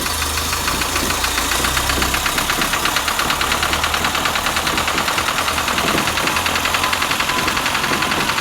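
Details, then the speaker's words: A project 2002's engine, unstarted since about 1987, catches surprisingly quickly once the fuel pump runs. It then runs with a steady, even beat and no knocks or rattles over the exhaust, sounding pretty good; running after this first start is normal. "You just woke it up from a very long nap. It sounds pretty good though. I'm very surprised it just started cranking that quick."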